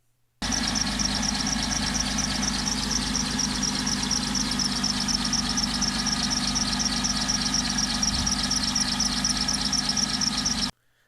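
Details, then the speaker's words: Car with a single belt under the alternator, at idle: steady high-pitched squeal with a fast chirping pulse; belt slipping because the tensioner was stuck out of line with the belt, needs a new tensioner. "on this particular instance it was squeaking because the tensioner was out of line with the rest of the belt"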